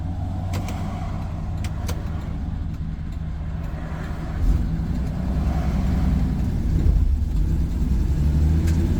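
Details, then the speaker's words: 1983 Nissan Patrol old petrol six, barn find stored for years, driving slowly down the driveway: lumpy, uneven beat under the exhaust drone. The engine still misfires; tune-up needed and gearbox noisy. "You might be able to hear it. It still has a misfire."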